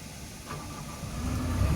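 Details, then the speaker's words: SH-series machine diesel after repair, with no errors on diagnosis and pump pressure normal at 36–37: it catches on the first turn without long cranking and settles into a low, even idle. Reading up to 1600 rpm in A mode; normal start and idle. "Oke, suaranya lihat. Tidak perlu start panjang, startnya langsung sekali jreng langsung hidup."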